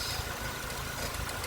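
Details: Nissan Micra, A/C compressor clutch bearing gone and only temporarily lubricated: a rough, uneven rumbling churn rides over a steady idle; a leaking condenser is also suspected.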